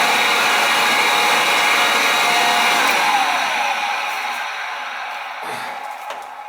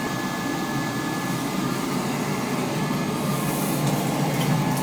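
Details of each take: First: Oil-fired boiler not heating the house: the burner motor gives a rough, steady whirring hiss with a gritty edge, then winds down. The burner motor is failing. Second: Oil-fired boiler not heating house, after new main operating control, burner motor and nozzle: steady even burner roar with soft fan hum, no rattles or surging; running normally and much quieter than before.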